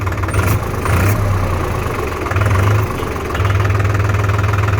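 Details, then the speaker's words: New New Holland TT3.50 three-cylinder 50 hp diesel tractor, all gears in neutral: deep, even diesel chug at a steady low idle beat with no knocks or misses; strong, healthy idle. "หรือฟังเสียงเครื่องแล้วครับผมแม่เครื่อง3สูบนี่ผมว่าแรงอยู่นะ"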